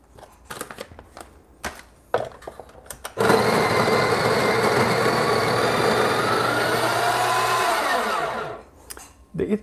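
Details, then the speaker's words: Breville Barista Express grinder purging new beans: steady grinding for about five seconds with a thin high whine over the burrs; source unknown. "sounds really really weird isn't it did you hear that that wing whining sound that's right again i i don't know the high pitch noise that is"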